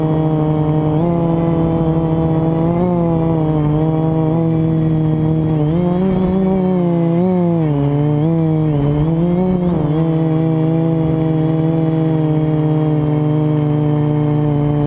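Buzzy motor tone near 180 Hz wavering and bending with throttle changes, rough edge over it; one motor has a worn bearing.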